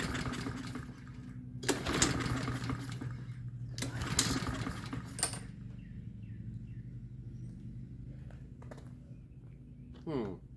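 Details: Troy-Bilt TB130 push mower, Honda GCV160, air filter off, starting fluid and choke: three or four hard recoil pulls, never fires.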